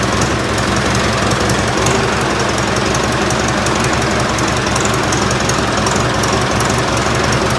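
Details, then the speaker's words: Ford 4040 industrial diesel tractor just started after injector rebuild, cold, with ether, warming up: loud uneven clatter with irregular hard beats, no settled rhythm; missing while air is still in the fuel lines. "i'm sure it's going to smoke and miss until all the air is out of the line so i expect that but hopefully it'll start without too much trouble"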